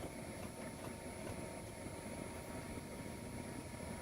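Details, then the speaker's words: 4 kW diesel air heater fed from the Sprinter camper van fuel tank, mounted behind driver's seat, warming up as fan goes to higher mode; steady even rush of air with faint fixed whine, no knocks or rattles, normal running. "getting a little louder as the fan goes in higher mode as it's combusting diesel fuel so starting right about now it's starting to warm up"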